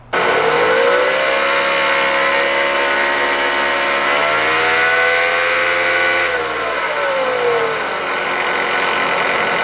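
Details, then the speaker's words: 2014 Dodge Avenger, 2.4 L four-cylinder: clear bearing whine over the engine rising and falling with rpm, located by stethoscope to a failed internal bearing in the alternator decoupler pulley, a common 2.4 Chrysler fault; fixed by replacing the pulley. "this whining noise is coming from the alternator decoupler pulley this is a very common problem for chrysler vehicles with a 2.4 liter engine"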